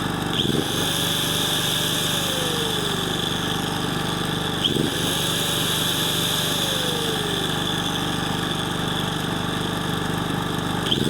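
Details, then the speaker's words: Portable petrol generator after carburetor cleaning and full linkage readjustment, now running without choke, loaded by an approx. 800 W angle grinder: steady engine note holds speed without surging as the grinder spins up and down; runs well under load. "як працює добре під нагрузкою це відрегулював повністю тяги"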